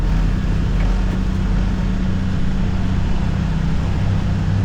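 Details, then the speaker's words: 2022 Can-Am Defender HD9 DPS cab driving at about 50–70 km/h after foam weather stripping was packed around the loose factory heater core: a steady engine and drivetrain drone. The cab rattle is gone, leaving only a faint tingy sound. "Okay. So, that that was a lot better. I heard this little tingy sound after, but I never noticed that before. Probably cuz that was rattling too much."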